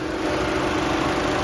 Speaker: There you go. Now if you can see that, but both fans are running. They are not vibrating.